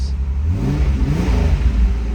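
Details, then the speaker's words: 1987 Pontiac Fiero GT: smooth quick rev settling back, deep even exhaust note with no knocks or misses; a great sound. "Oh yeah, what a great sound. Let's go give a listen back at the tail pipes to the sound coming out."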